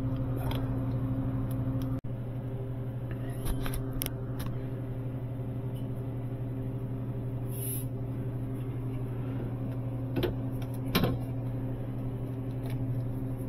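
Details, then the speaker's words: Sub-Zero 427R wine system after high-side freon leak repair and switching valve replacement: quiet steady low compressor hum, temperatures dropping; normal compressor running. "okay temperatures dropping down that's great good to go"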